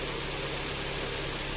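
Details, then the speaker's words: Kia Optima G4KE 2.4 after third engine rebuild, checking for knock, A/C off: smooth steady idle hum, faint hiss, no knocks or extraneous noises; normal idle before warm-up. "обычно а так никаких посторонних звуков и шумов нету"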